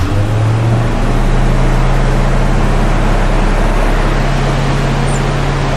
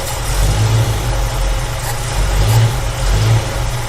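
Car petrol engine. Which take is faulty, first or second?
second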